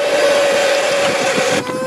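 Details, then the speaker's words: 1995 Honda Accord after a new battery, engine off and key out: a steady, loud electric buzz with a fixed whine that cuts back near the end. Pulling fuses showed the headlight washer pump running by itself. "Bon, vous le croyez pas, c'est le lave-phare. C'est le lave-phare qui fait ce bruit là."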